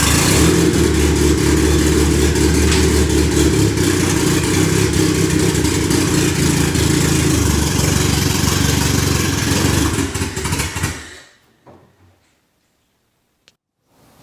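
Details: Freshly rebuilt turbo 1996 Honda Accord CD5; owner first suspected the tune, and vacuum leaks were checked. Engine drones unevenly on throttle, then dies out around eleven seconds; it won't stay idling. Stalling idle.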